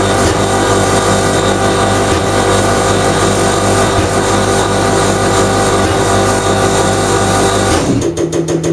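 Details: Common rail injector on a calibration test bench, run through over 500 shots after faults traced to a turbo failure that burned oil. Fast, even ticking over a steady hum with no misses. Normal injector operation.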